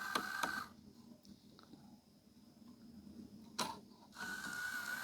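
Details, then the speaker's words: Hitachi 32-inch LCD TV/DVD combo (model VC326000) DVD loader before repair: short whirring, clicking motor bursts with long gaps as it strains and fails to eject; disc reads and sensors work, fault is mechanical in the loading/unloading mechanism. "Okay, it's trying. There's something wrong with the loading and unloading mechanism."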